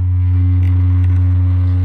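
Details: 1974 Marshall T1221 Creamback speaker cabinet fed a pure sine wave from a signal generator through a solid-state power amp: steady low tone with rough buzzy edge; voice coil rub, bottom right and top left speakers definitely bad.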